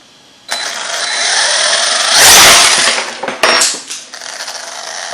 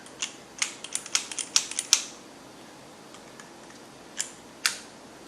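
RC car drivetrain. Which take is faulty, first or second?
second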